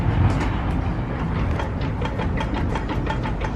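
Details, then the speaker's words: Chrysler 300, rear-wheel drive: low driveline rumble with light pops about three per second and a clunk, driveshaft jumping up and down; noise traced to inside the worn rear differential. "Hear the popping? Yeah. Yeah. So you can see with the actual drive shaft, it moves up and down."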